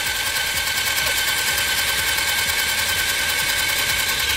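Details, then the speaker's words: Italika TRN150 scooter that arrived with no oil; fast light even cranking whir without compression chuffs, sounding like lost compression, but camshaft and timing chain not turning while magneto spins; timing chain failure. "pero miren vemos que no gira aquí lo que es el árbol de levas ni cadena de distribución"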